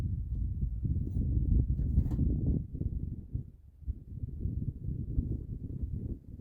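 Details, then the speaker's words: Abandoned Mercury, sat 13 years, with a used parts coil and new electronic ignition module fitted; slow labored cranking that sags as the battery dies, never catching; no spark or coil activity, wiring suspected. "All right, so what I've done off camera is threw a new coil in it, not a new one, but a parts coil and nothing. We don't have any coil activity."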